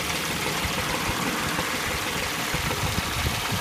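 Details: 2003 Chevy Tracker (Suzuki Grand Vitara) at steady idle with a low-pitched, hollow knock that is not consistently timed; source not identified.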